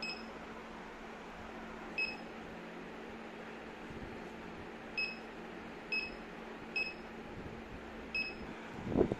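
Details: Honeywell MS7120 Orbit barcode scanner after repair (it had flashing green/red lights, fixed by cleaning): six short, single high beeps at irregular intervals, each a clean, normal successful barcode read.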